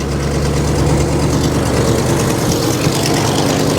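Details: 1964 Mercury Montclair four-door, abandoned in the Arizona desert and last registered 28 years ago: steady, even low V8 idle with no knocks or misses held in gear; transmission solid, engages immediately; normal idle in gear.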